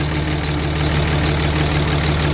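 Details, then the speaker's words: Dodge Cummins diesel truck, after fixing a zero rail pressure fault: steady, even idle with low regular clatter, no misfire as before; rail pressure no longer jumping, fluctuating about 100 psi. "elite that almost sounds like it runs better I don't hear a misfire like I did before"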